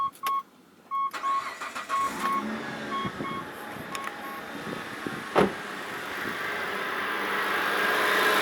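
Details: Mitsubishi Pajero after replacing the idler pulley and refitting the fan belt: dashboard chimes, engine cranks, catches and settles into an even idle with no belt squeak.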